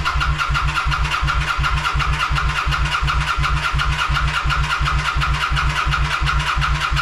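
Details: Kawasaki VN900 Bobber under restoration, ECU just returned from checking, FI light flashing, sensor wiring being bridged: V-twin cranks steadily on the starter, chugging about three times a second, but never starts.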